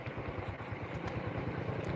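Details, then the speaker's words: Honda Supra 125 motorcycle after new piston and overhaul, previously hard cold starting, smoking and engine ticking: soft, even low idle thump with no knock or rattle, almost silent; normal, smooth idle. "suara mesinnya teman-teman nyaris Nggak ada suaranya saking halusnya"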